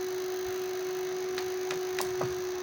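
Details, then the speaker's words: Homemade UPS transformer running on solar, which dims house lights after a power cut: steady mid-pitched hum with sharp "kit kit" ticks, caused by loose core laminations (pattis) letting the coil sound. "Kit kit kit kit की आवाज़ आ रही है। वो आवाज़ आती है इन पत्रियों की वजह से। अगर ये पत्रियाँ लूज़ हो जाएँ, इसमें खला आ जाए, तो ये इसी तरह इसके अंदर कोयल जो सी है वो साउंड करना शुरू कर जाती है, क्योंकि ये पत्रियाँ लूज़ हो जाती है,"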